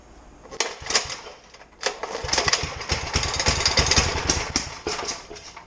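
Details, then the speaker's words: 1970s Sears generator, unrun for 10+ years, restarted with gas added. The single-cylinder chugs and pops unevenly at about three beats a second but stays running: small engine running. "there you go it ran i got some gas in the tank let's see if it'll start to stay running"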